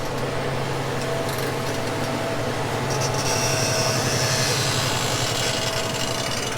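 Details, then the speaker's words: Working tractor cutting into dirt with a loaded bucket: heavy drone with a rasping creak as the bucket loads, engine bogging down; tires sliding show the bucket is full of heavy dirt. Source of the creak is unclear. "think creaks a lot you guys hear that up loading up loading up bogging down"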